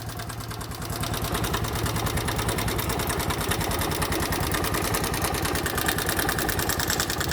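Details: Bajaj Boxer X150 2020 single-cylinder motorcycle idling: rapid, hard knock with violent engine shaking. Tappets or timing chain were first suspected; opening the engine showed a worn piston rubbing the cylinder walls, fixed by piston replacement.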